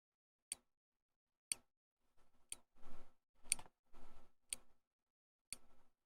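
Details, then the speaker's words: Insulin-pod style pump priming after fill and activation: six crisp single clicks, about one per second, in a quiet room; normal plunger advancing clicks, with a possible snap before injecting. "I guess it snaps before injecting or maybe we missed it because it goes click click click snap and then click click click so that the additional clicks after the snap are it advancing the plunger just a little bit in order to Prime the tube"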